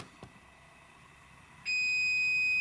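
A steady, piercing high tone comes on and holds without a break; the inverter is alarming, probably because the battery is low.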